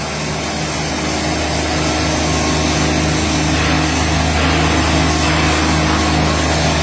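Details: Derette XC1100 track loader on concrete after the track resonance fix: steady, even engine drone under constant load with no rhythmic knocking or track vibration; the shaking seen before the improvement is gone.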